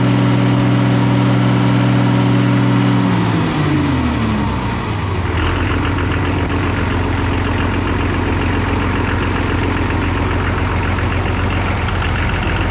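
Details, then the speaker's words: Oliver 1800 diesel tractor after about half an hour of running following injection pump repair and air purging: steady rumble settles from faster speed to a slow, even idle with no misses; now running well. "Cool beans, resurrected from you know, bad times. Will it run? Yes. Yes, it will run. With a little love."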